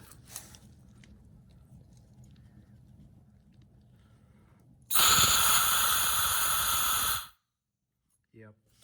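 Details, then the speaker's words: Yamaha MZ300 engine from a Ridgid 5700 W generator, formerly seized, with the cylinder pressurized by air; a steady, loud hiss of air, WD-40 and oil escaping past the exhaust valve; the exhaust valve is leaking. "that's a big leak. And you can actually see some of that WD-40 and oil blowing through there when I did that. So that is the problem for sure."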